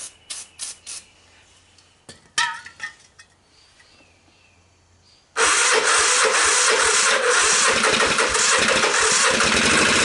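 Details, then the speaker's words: 1986 Honda TRX250 with low compression, a new starter and gears, a portable CDI and a hacked PZ30 carb, cold with choke on and starting fluid used: a weak starter gives several short cranking bursts and sputters, then it runs loud and uneven. Hard starting. "got that starter sounds like heck first try fail"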